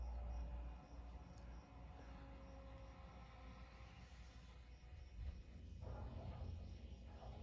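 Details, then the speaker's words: 2011–2016 Ford 6.7 Powerstroke diesel after replacing both fuel filters, key on to prime; steady electric lift pump hum with gurgling as air purges, priming normally. "You can hear it making quite a bit of noise, getting all the air out there. So we're gonna let that run for a little bit here, and then we'll turn the key off, and we'll repeat this process at least 6 times."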